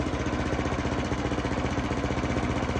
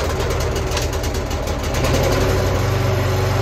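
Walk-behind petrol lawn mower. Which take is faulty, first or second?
second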